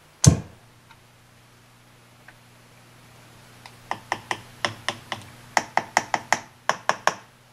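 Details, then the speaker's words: Marshall model 5210 solid-state guitar amp, reassembled after resoldering bad joints, powers on with a thump and then near silence, no hum or crackle. "well it's either dead or it's really a quiet amp"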